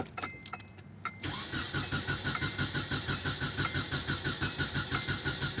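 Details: 1996 Nissan Altima crank/no-start, with a scope back-probed on the sensor signal: starter turns the engine at about three even pulses a second but it never catches; failed camshaft position sensor signal.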